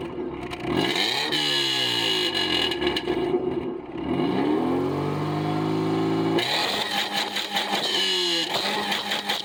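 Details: Subaru after thoroughly cleaning mass airflow sensor with brake clean: engine catches and settles into steady, even idle with light revs, no stumbling or hunting; now running right.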